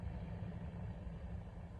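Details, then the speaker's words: 2005 Cadillac DeVille Northstar V8 idles rough with an uneven, lumpy pulse and shaking; check engine light on and diagnostics show a cylinder 5 misfire, suspected ignition coil. "engine was shaking a little rough didn't feel right engine light was on did a diagnostic test on it cylinder fire got a misfire"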